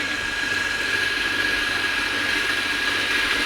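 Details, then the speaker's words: Centrifugal pump cavitating as flow is increased and water runs short: steady hissing crackle with thin high whine, heavier like pebbles inside, from vapour bubbles collapsing on the impeller; louder as flow rises; damage could finish it within a year. "Cavitation sir इधर हो रही है जी cavitation एलर के ऊपर आके bubble टूट रहे हैं उसकी आवाज है"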